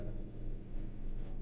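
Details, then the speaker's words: Honda Civic 1.0 turbo with P0302/P0300 codes, still misfiring after plug and coil swaps and refitting the intake pipe: low, uneven idle rumble with dips in the beat, a dead-cylinder misfire. "हमने start की है गाड़ी वही blinking आ है वही miss miss tooth"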